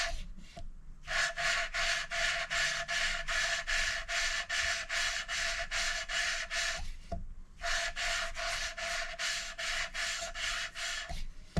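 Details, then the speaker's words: Hand-lapping a valve with coarse paste on an older head with slight pitting: steady gritty rasping, about two and a half strokes a second, in two runs; seat still bedding in, one more coarse pass then fine paste. "So I think we need one more go with the coarse, and then we'll give it a couple of goes with fine, and then probably done."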